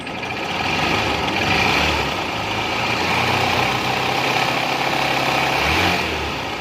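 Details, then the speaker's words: Supremo that became very noisy right after an oil change: a loud, busy clatter rides over the idle, a top-end rattle. "Napakaingay, pero ito chinek ko na kanina."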